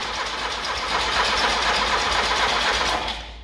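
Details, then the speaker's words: Lada 2104 that has spark: steady starter cranking at about four beats a second for three seconds with no catch. The fuel pump shows no resistance and the fuel line is bone dry, so the owner suspects a bad fuel pump, though it is unconfirmed. "let's check the AC pump let's I don't have any resistance here so I'm thinking maybe the fuel pump is bad"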